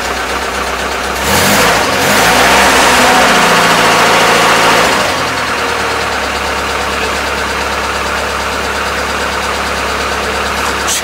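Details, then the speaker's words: Cold start of an old carbureted truck in cold weather, a couple of throttle pumps first: brief crank, fires and flares, then settles to a steady even idle. Normal cold start and idle. "let's see if this truck will start from us and it's cold out here"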